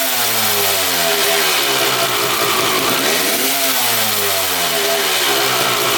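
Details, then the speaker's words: 1995 Honda CR250 two-stroke revving: raspy note rises and falls, sagging and hesitating as it climbs; bog because the exhaust power valve shaft doesn't rotate 90° on throttle, power valves stuck not opening. "that vertical line on the shaft there is supposed to go horizontal as you hit the throttle and those power valves are supposed to open they're not opening at all"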